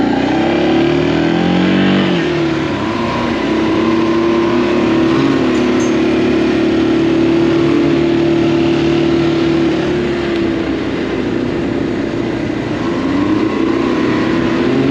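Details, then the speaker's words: Can-Am Maverick X3 after fitting the correct secondary clutch spring for 32-inch tires: steady drone falling and climbing smoothly with throttle, even pull, no flaring revs; CVT clutch grips the belt properly. "it wouldn't even slip it the motor like cut out that i was making it force too much for the gearing and it asked for low gear that's the first time i've ever seen that i've never been asked for low gear so the belt really really doesn't slip so i guess"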